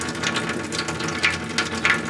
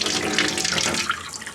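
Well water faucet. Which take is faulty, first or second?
first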